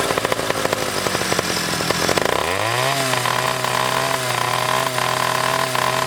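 Revs climb with uneven popping stutter, then hold a buzzy steady drone that still breaks up; misfiring at the top end.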